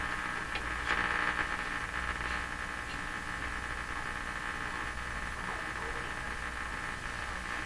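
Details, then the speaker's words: 1940s Canadian Red Cross tube radio after repair, tuning with dial-string trouble: steady hiss with faint whistles and crackles and no clear station; radio static, cause not found. "here turn noise fact that it's picking anything up here is very good very good that's just terrible that noise"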